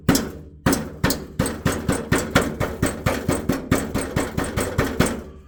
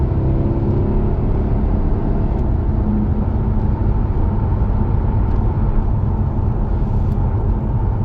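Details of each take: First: Jaguar XK (X150), underneath where the front exhaust pipes split: sharp taps on the heat shield end in tinny clinking rattles. Stones seem trapped under the shield, causing a rattle felt through the floor when driving; fixings appear fine. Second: Jaguar XK (X150) 4.2 V8 on a road test after a rattling heat shield was fixed: smooth road and engine hum with no rattle or buzz over bumps. Quiet cabin, fixed.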